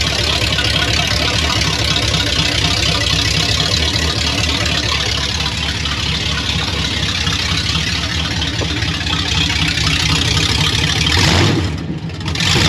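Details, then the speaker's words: Chevy 1500 OBS swapped from 4.3 V6 to 350 V8 with ECM from a 1992 350: loud, even V8 idle, steady rumble, no misses or knocks; starts and runs healthy. "So this thing will fire up. We haven't even drove it yet, but we have started it, so I do know that ECM is good for it now. Sounds good."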